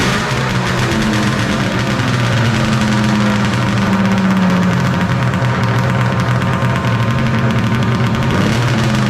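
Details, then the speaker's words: 1995 Polaris Storm 800 triple two-stroke, 1,500 miles, after setting all three carb air screws to 5.5 turns out, air box refitted, a little choke at start; steady even low hum, no hunting or misfire; normal idle, fix successful. "Sounds like it's running pretty good now. Alright guys, we got the air box back in, running good."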